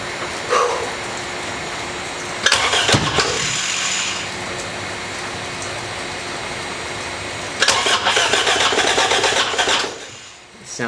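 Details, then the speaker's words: Starter cranks in two even bursts, about four turns a second, but the engine never catches; crank-no-start on a cheap project car, owner suspects ignition timing is out. "the timing's out"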